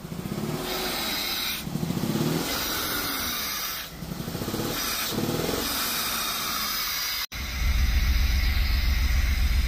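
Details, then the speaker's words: Freshly built Jeep XJ 4.0L inline-six, first start: idle surges and stumbles unevenly with hissing, missing badly, then steadies and misses less; owner suspects clogged injectors clearing; rough running, misfire. "honestly it probably is those injectors but let's think it's holding itself that it's R it's missing really bad"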